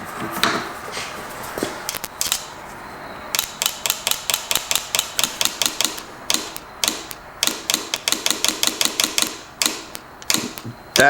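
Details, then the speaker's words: John Deere Gator 6x4 fuel shutoff solenoid after cleaning out with brake cleaner and cleaning the terminals, tested off the engine: crisp, snappy clicks in quick bursts as power is tapped on and off; the plunger now moves freely. "and then when I put this back [Applause] in it should move pretty freely now"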